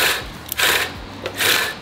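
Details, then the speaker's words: Reel mower after backlapping, cylinder reset slightly looser against the bedknife and now spinning freely; crisp light swishing snips with no scraping or grinding, cutting cleanly, a clean reel cut. "And I brought it back down just a little bit looser, and it's cutting so clean."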